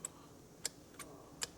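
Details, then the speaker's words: Removed turbocharger from a Mercedes E-Class with shifting problems, guide vanes worked by hand: five sharp, bright chirps as the stiff, binding variable guide vanes squeak; this wrecked the actuator, and the turbo, which also has excess impeller play, is to be replaced. "그리고 가이드베인 다 가이드베인 얘가 지금 걸리잖아요 벌써 찍찍 소리"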